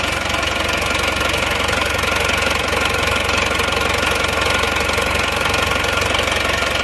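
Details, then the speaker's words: Diesel engine after a broken crankshaft repair, fitted with a non-original timing gear and a serviced, standardized injection pump: smoother but still rough, hard regular knocking at idle; later fixed by fitting an original timing gear. "nah mesinnya lebih halus tapi masih tetap kasar teman-teman"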